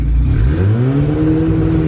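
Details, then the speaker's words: Turbocharged sleeved GSR B18 Acura revved up: rises quickly with turbo audible, then pitch flattens and holds as the two-step launch control limits rpm. "That's on the two-step. Oh. That's why it's like limiting itself."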